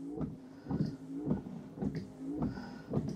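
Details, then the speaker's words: Abarth 595 windscreen wipers: a soft thump and scuff each sweep as the long blade clips the back edge of the short one mid-screen. Owner suspects standard-range blade lengths leave too small a gap; they sometimes tangle and bounce loudly. "you can actually hear the wiper clipping the back edge of the short one"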